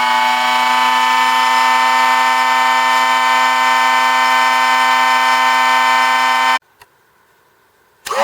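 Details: Drill Doctor XPK drill bit sharpener run empty, first test: steady, even motor whine holds one pitch for six seconds then stops cleanly, no rattle or grind; healthy free-running motor.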